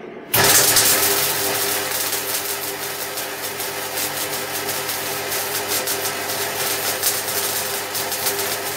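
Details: MIG welding 3 mm (1/8 in) steel with volts at maximum and shielding gas at 3 L/min, wire speed being set: a steady, even bacon-frying crackle with no popping or hissing gaps, showing the wire speed is right.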